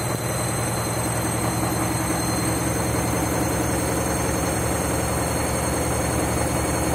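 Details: Washing machine spinning after a reset because it wasn't heating, never seen before on this washer: loud relentless pounding rumble near three beats a second; violent uneven spin, cause unclear.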